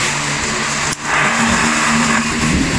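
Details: Asahi stand fan that was dropped, with a bent, misaligned neck and a broken wire: steady whoosh with a low buzzing rattle, noise also from the swivel; vibration from bent housing.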